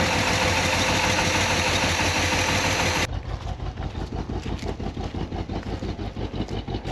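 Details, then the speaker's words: 1968 Pontiac Grand Prix big-block V8, first start after 15–20 years sitting: loud rough run settling into an uneven lumpy idle, stumbling about three times a second; misfire from crossed plug wires. "we need to check that timing that thing's running"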